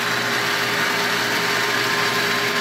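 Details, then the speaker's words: 1.5 hp water pump, before repair; motor starts correctly and it's not the capacitor: steady hum with a mid-pitched whine and light hiss, running without load, and pressure drops to zero when the tap closes; a clogged check valve stops priming. "It is not a capacitor, it is not the motor because the motor is starting [Applause] correctly. Observe how it stays dead when I close the key"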